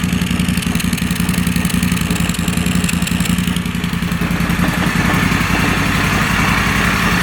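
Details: Moto Guzzi Stelvio replacement engine, first start after sitting six years: loud uneven clattery beat around idle that lumps and stumbles, then picks up a little; rough running, possibly misfiring.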